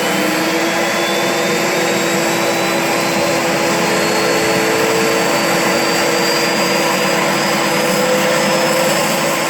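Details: Turbo barrel on a cage buggy heating wood for pyrolysis gas: steady roaring rush with thin whistling tones drifting slowly; boost never holds.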